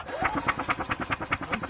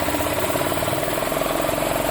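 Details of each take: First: Yamaha utility cart, diaphragm fuel pump working and spark present at the plug: steady rhythmic starter cranking at about eight pulses a second, but the engine never catches; crank no-start. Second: Yamaha Ultramax G23 utility cart with a single-cylinder engine and a crankcase-pulse fuel pump, earlier a crank-no-start: now runs at a steady, even speed with a constant buzzy tone, no misses or knocks; normal running.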